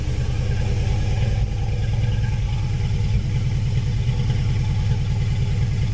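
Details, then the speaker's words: 1966 Mustang on FiTech EFI, out of gear at idle: loud lumpy idle with an uneven, stumbling beat, car shaking and flat exhaust note; misfire from one back-corner cylinder getting no fuel. "you'll notice that the car is shaking pretty bad so I've been chasing this Miss and you'll actually hear how flat it"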